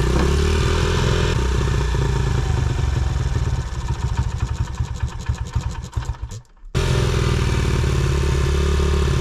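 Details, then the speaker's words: 2011 Honda CRF100 with carburetor needing tuning: single-cylinder thump revs unevenly, sags and nearly stalls, then catches on throttle; won't hold steady idle, poor idle, carb suspected. "You're probably going to have to rev it a little bit to keep it alive. >> Okay. >> Until I tune this carb."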